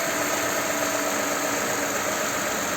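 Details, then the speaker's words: Toyota/Lexus RX350 petrol V6 after VVT-i phaser (cam phaser) repair, restarted after sitting about 20 minutes and several cool-down restarts: even idle with steady hum and faint whine, no start-up rattle; phaser lock previously failed to hold. "сейчас уже вот минут 20 она стоит до этого мы несколько раз остужали заводили пробовали все она уже не тарахтит работает"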